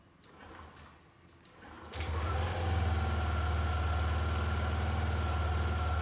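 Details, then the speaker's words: Yamaha NMAX scooter with indicator light staying on, reassembled and started after work: catches after a couple of seconds and settles into a fast, steady drone that never drops to a slow idle; rpm still too high, to be rescanned for fault codes. "Nah ini masih terlalu tinggi ya untuk R pm-nya kita harus cek kembali ini setelah kita hidupkan ini nyala lagi ya dan RPM mesin masih tinggi"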